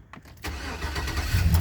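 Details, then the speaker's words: 2005 GMC Sierra 1500 at 148,312 miles, warm day, alternator recently replaced: a quick crank catches at once and settles into a steady even low rumble with no knocks or misses; healthy start. "That's a little warm outside. So, 148 312. Well, we'll go ahead and start it up."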